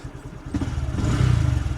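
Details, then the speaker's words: Honda Grom MSX 125 single-cylinder idling around 1100 rpm after an oil change: after revving, the idle hunts, surging and sagging for a few seconds before settling. The owner plans to raise it slightly with the idle screw. Cause not confirmed. "There's a bit, see, look, when I rev it goes to like hunt for a few seconds, so I might just adjust the idle screw just to bring the idle up just a tiny bit, because it hunts,"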